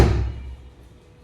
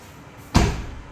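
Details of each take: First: Tata Tiago door closing before fitting gap filler tube into rubber seal: several light hollow thuds with quick rattle rather than solid thump, from incompletely sealing door. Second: Tata Tiago car door after gap filler tube was applied to the seal. One solid, heavier, low thud with no rattle or tinny ring, a clear improvement: the door closes normally.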